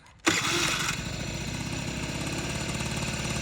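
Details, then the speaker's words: Honda Dio AF-34 two-stroke scooter, kick-started, warmed up: crankshaft seal whistles, silent when cold, with fast buzzy raised idle caused by the seal leaking air. "а чуєте як сальничок свистить хоча на холодну його чути чутно не було А зараз свистить трошки із-за цього бачите підвищені роботи із-за цього що пускає сальничок Він газує"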